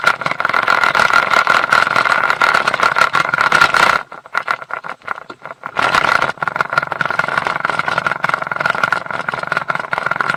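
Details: Mercury 150 HP outboard running with a light, uneven rattle over its steady drone: prop chatter from a propeller left loose on the shaft. The lower-unit fluid was drained, and the noise is not from the shaft.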